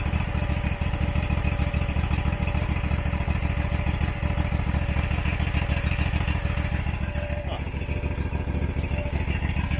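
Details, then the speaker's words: Abandoned Husqvarna XPT V-twin mower, possibly 2002, idling just after carburetor reinstall: steady low thump with uneven beat and droning hum, rough and smoky; dipstick shows no head gasket failure, owner suspects it's stuck in choke. "will it run okay but there's a humming noise and it seems to be blowing lot smoke"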